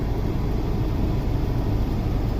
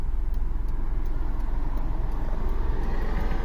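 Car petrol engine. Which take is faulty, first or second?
second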